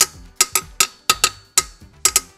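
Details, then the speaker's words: Old first-generation Honda Scoopy frame, rusty from years of rain, tapped by hand: about nine sharp taps die away at once with no ringing, a thick, solid-sounding frame. "suaranya paten. Tebal. Kalau suara tebal tuh kedengaran banget lah. Dia enggak nyaring, enggak mantul suaranya."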